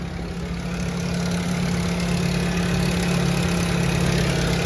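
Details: Nissan GA14DNE engine at idle: light, fairly regular rattle about four beats a second over the engine hum; owner wants to replace head gasket, source not yet found.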